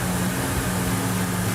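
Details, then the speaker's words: 1968 Dodge Charger R/T after restoration fire-up: steady, even low V8 burble at idle with no misses or ticks, 60 psi oil pressure at idle; kicked off hard and ran good, a healthy idle. "60 pounds of oil pressure at an idle. What do you think of the engine fire up? Ran good."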